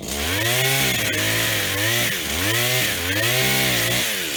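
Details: Stihl HT75 extendable two-stroke pole saw from auction, cleaned and tested: revs cleanly up and down in repeated cutting sweeps, pulls through wood without stumbling; works perfectly, chain sharp.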